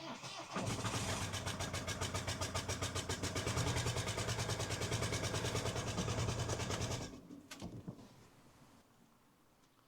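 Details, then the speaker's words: 2013 Ford Kuga diesel starting with a broken injector clamp: loud rhythmic chuffing, about two and a half puffs a second, with heavy smoke. The lifted injector leaks compression (blow-by); the fix is a clamp repair and cleaning the injector seat. "You know, bit of a smoky one that I don't know if you've seen that before, but um that's what happens when you get an injector clamp break."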